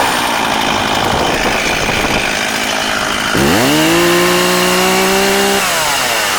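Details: Older, little-used Stihl 036 Pro chainsaw, 20 in original bar and chain, 150 psi compression: snarling two-stroke idle, then a quick clean rev up that holds steady and drops back; healthy, strong-running saw.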